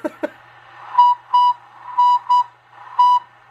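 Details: Heavily modified Cobra 142 GTL base station CB radio makes short, steam-whistle-like squeal bursts about once a second over hiss at three-quarter volume or more; owner suspects interference feeding into the audio, since fixed.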